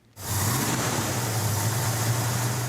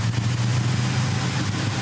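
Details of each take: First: 1970 Dodge Super Bee with big-block Mopar 451 stroker (replacing stock 383 Magnum), carburettor being tuned: steady, deep, raised idle with even rumble and no misses while high idle, mixture and floats are set; high idle. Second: 1970 Dodge Super Bee, big-block Mopar 451 stroker, after carburettor high idle, mixture and floats were adjusted: smooth, even low burble with no misses or stumbles, adjustments checked and working; normal idle.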